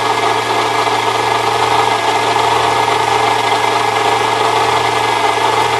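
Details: 1998 Saturn SL2 at idle: steady rough scraping grind from the belt area, still present with a shorter belt bypassing the A/C compressor pulley; water pump suspected next, exact part not pinned down.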